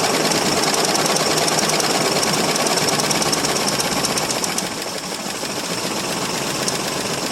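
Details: 1968 Mercury Monterey 390 FE V8 with two-barrel carb, first cold start after roughly 20 years sitting, fuel fed into the bowl: harsh, uneven run with fast ticking about three a second over exhaust roar; rough and knocky, cause unconfirmed.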